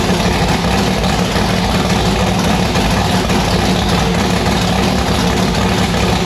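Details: V8 race car with newly installed 1150cfm Pro Systems carburettor on E85, just started: loud, deep, choppy idle with uneven loping beat; rough idle, carburettor still needs tuning.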